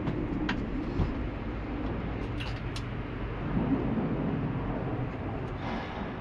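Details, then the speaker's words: Auction-bought work truck starting at idle; deep, loud rumble with a raspy, uneven exhaust note much louder than stock, from a big hole in the muffler. "is it missing the muffler [Applause] big old hole in the muffler it's got a big hole in the muffler"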